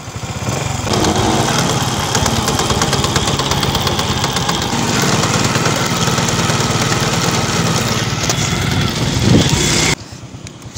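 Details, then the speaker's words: Honda XRM110 motorcycle on road test in second gear after transmission overhaul and second-gear replacement on the main shaft: steady even running, former helicopter-like noise gone, no gearbox grinding or whine; normal running. "lagay natin sa second gear nawala na yung kanyang ah tunog helicopter goods na goods"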